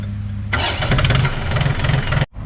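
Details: John Deere 870 tractor, Yanmar diesel, after cleaning and refilling fuel strainer bowl with bubbles bled out: short crank, then catches quickly and settles into an even steady beat; clean healthy start.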